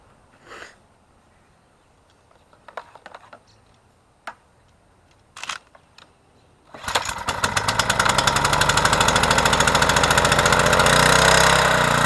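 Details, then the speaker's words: Troy-Bilt 2800 psi pressure washer after carburetor repair, hooked to water with a 15-degree nozzle: handling noises, then the engine catches and settles into a steady, even drone under pump load; runs smoothly. "we have the pressure washer hooked up to the water and we put the number 15 general angle spout on the wand so let's fire it up and that's we're gonna go ahead and clean our concrete walk over there"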